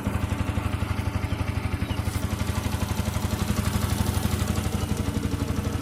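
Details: Yamaha R15 V2.0 engine at steady idle with a hard, even clatter about four times a second over a deep thrum; engine sound problem, cause not yet pinned down; abnormal engine noise.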